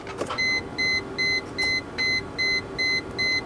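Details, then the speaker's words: Mercedes W210/S210 E320 wagon with swapped 4.3-liter M113 V8, key cycled after reinstalling the fuel pump fuse before first start; regular high chime pulses over a faint hum, normal fuel pump prime. "so I'm gonna plug the fuel pump fuse back in and we're going to give a couple key Cycles to build up fuel pressure and then hopefully it starts"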